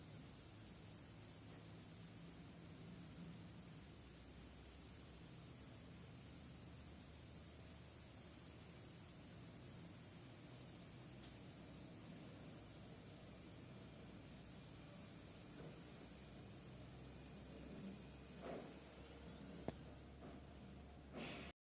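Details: New XFX PRO 750W Black Edition modular power supply, about a week old, gives a faint steady high-pitched whine and buzz in standby with the PC switched off.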